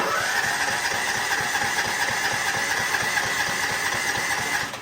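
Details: Craftsman riding mower hard to start when cold; on full choke with parking brake on, the starter cranks steadily about five seconds without catching, then quits; warm it starts easily; owner suspects the choke isn't closing and the engine should cough on full choke.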